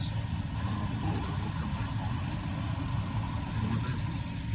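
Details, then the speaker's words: 23-year-old Carrier gas furnace after ignition fault repair; even low burner roar with blower coming on steadily underneath, flames flicker, no rattles or surging. Normal furnace operation. "You hear the blower come on right now. This is the new one, making the flames flicker."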